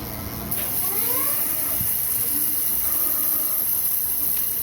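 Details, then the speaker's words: Super73-Z1 e-bike rear hub: faint steady hiss with a thin rising whine only when throttle is applied; owner suspects a worn freewheel. "only when i hit the throttle so i diagnosed it and i spoke to super 73 and i told them i think it's the free wheel which is this right here"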